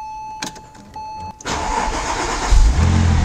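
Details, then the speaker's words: 2004 Porsche 911 (996) Turbo starting right after an oil change, with the fuel pump fuse refitted after the pre-lube. Chime, a short crank, then it fires straight up, flares once and settles into a steady idle. Oil pressure comes right up and the engine is still cold: a normal start. "There we go. And that oil pressure over there. Want to make sure that looks good. Came right up right where it should be."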